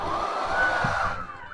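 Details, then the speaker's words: Schwintek RV bedroom slide-out binding on extend and retract: a steady motor whir changes pitch and drops as one side's motor stops while the other keeps running. Slide-out motors out of sync. "See, this side stopped. That side kept going."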